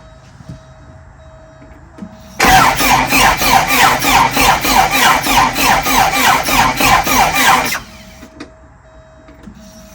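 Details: 41-year-old Porsche 944 with a starter and no-crank problem, cranking after a ground cable was added for a suspected poor ground: strong, even cranking at about three compression pulses a second for five seconds; turns over freely but doesn't catch.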